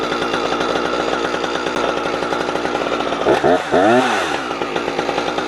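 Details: Husqvarna 455 Rancher two-stroke chainsaw, warmed up, cutting wood after a fuel filter change; it had choked when warm. Strong steady high buzz dips and wavers as it bites, recovering cleanly; pulls well, old filter found discolored.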